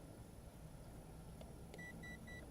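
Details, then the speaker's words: XK Alien quadcopter on its maiden flight: three short, high, even beeps over a steady low hum; the flyer guesses the constant beeping means one-key return is activating, though the quad only heads toward his general direction. "now my guess is when I hear that constant beeping that that's activating the UH one key return"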